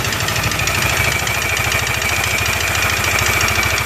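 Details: Yamaha NMAX scooter at idle after slider cover and drive side were reworked: fast, steady ticking about three per second, unchanged with the drive side stripped, pointing to top-end wear.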